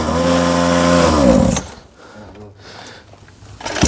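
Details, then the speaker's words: Cheap Chinese small quad bought for a child, after carburetor adjustment: loud, uneven two-stroke racket that sags and nearly dies before catching again, won't hold idle and cuts out; rough running, unstable idle, cause unknown. "Mais bon, voilà, ça tient pas bien ralenti. Ah, il coupe, hein."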